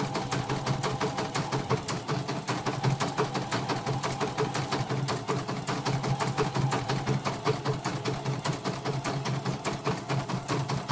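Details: Embroidery machine after repair of a rough-running, snoring fault, stitching in red thread: a fast, even clatter with a steady hum. It now runs smoothly with no rough snoring, which is normal running.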